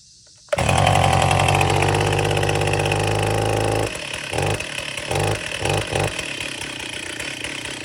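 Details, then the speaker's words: Old Stihl chainsaw, first start after sitting about 10 years: catches and revs hard and raspy for a few seconds, then sputters, surges in bursts and dies on its own; two-stroke running. "That saw probably hasn't ran in 10 years at least. That is insane."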